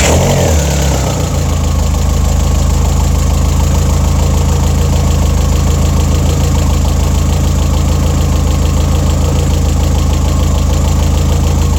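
Steady, even low rumble with a smooth, regular beat and no knocks or misses: a healthy, settled idle.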